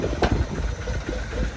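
Cold engine idling low and uneven with a lumpy, wandering beat and some hiss; it's running rough while cold. Cause suspected, not confirmed.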